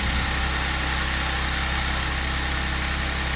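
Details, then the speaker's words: Audi S4 B8 3.0T supercharged V6, first start after repairing P0018 bank 2 timing chain jump: smooth even high idle with steady low hum, no chain rattle or slap; engine healthy, no fault codes. "sounds sounds good just wait for it to kick off the high idle and see what it sounds like on the low [Music] idle"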